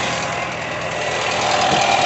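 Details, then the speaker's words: VW Gol 1.0 engine after repair of an engine noise, with pulley problems and cylinder-head corrosion found and fixed: idles steadily and evenly, no knocking or ticking over the hiss; runs clean and healthy. "o bichão funcionando sem barulho sem nada aí galera"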